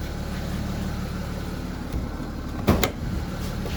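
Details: BMW X3 E83 diesel, 16 years old: on start-up rpm dips for milliseconds with a sharp clattery knocking burst from the left side of the engine seen from the front, only at start-up, then steady idle; cause unknown.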